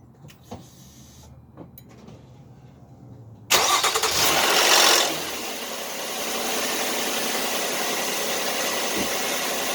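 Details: 2010 Nissan 3.5 V6 after replacing a bad squeaky serpentine belt: quick crank, firm catch, then smooth steady idle with no belt squeal or chirp; healthy.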